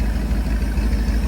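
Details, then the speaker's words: Taylor boat with rebuilt Berkley jet pump, load tank test: deep, steady low rumble with even beats and no ticks, knocks or rattles; normal idle, reading about 148. "now you got it right sounds good no weird noises"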